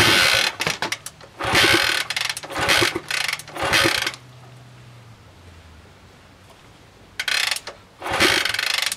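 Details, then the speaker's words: 1960s Honda CL90 (about 1966) powered from a 6 V variable supply, with fuel poured into the carburetor and the tank empty: several kickstart strokes turn it over but it never fires; inconsistent to no spark. "new probably no spark let's see if we can see this i get an inconsistent spark i'm getting nothing"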